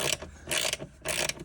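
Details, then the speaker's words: Peugeot 205 1.9 GTI off the road 15 years: short bursts of ratchety clicking as the wiper motor tries to turn but doesn't work. "and see obviously why ain't working because you can hear it clicking as if it's trying to work but it just don't want to work for whatever reason"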